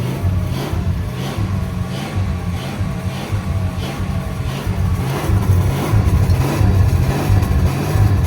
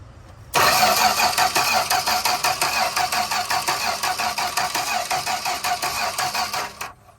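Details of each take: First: 1965 Plymouth Barracuda slant six, parked since 1994, first run after 30 years: steady low drone with gentle revs, no knocks or ticks, not smoking badly though it won't idle on its own; sounds mechanically sound. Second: 1965 Plymouth Barracuda slant-six, parked since 1994, gas poured in: steady starter cranking for six seconds with no firing; no spark, with power reaching and leaving the coil, so the distributor cap is to be checked.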